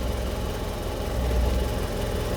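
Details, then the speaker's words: 1985 Suzuki Carry 1000 (ST100) small petrol engine idling after spark plug, points and ignition checks and cleaning: low, steady idle with even firing and no misfire, knock or rattle; running smoothly and healthy. "Wah, langsung menyala ya teman. Aman, mesin aman,"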